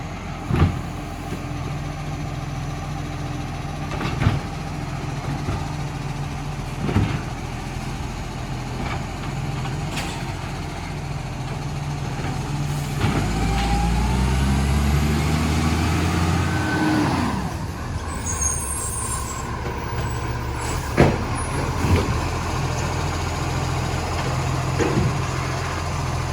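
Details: Brisbane waste collection truck BSW733, diesel idling at kerb; rough puffing exhaust note from an exhaust leak, plus bin clunks.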